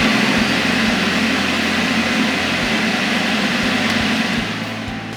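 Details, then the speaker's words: Mopit Mid/Max floor scrubber, vacuum switch flipped on during suction troubleshooting; vacuum motor gives steady airy rushing hum at even pitch, no grinding or surging; normal vacuum motor running. "When you flip the vacuum switch, does the vacuum motor turn on? It should sound like this."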